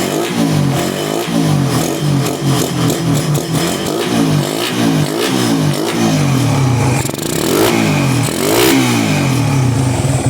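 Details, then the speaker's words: Suzuki Raider 150 carbureted single-cylinder bike that was dying, misfiring and backfiring: after setting idle mixture, idle is stable but blipping the throttle gives a slight stutter, a mild lean misfire. "Ang problema pag piniga niyo 'to ano yan ah palyado konti."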